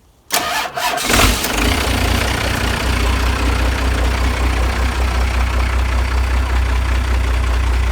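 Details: First-generation Dodge after rewiring at the solenoid and relay: brief crank, then it catches cleanly and settles straight into a steady, even idle with no stumbling; starts and runs normally.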